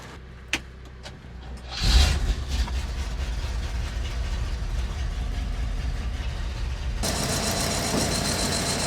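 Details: 1970s crane truck over 50 years old, about 300–400 hours, crate engine, oil checked, unstarted for over a year: a few knocks, then it catches and settles into a steady low idle. Some smoke, which the owner suspects is from dry-rotted valve stem seals.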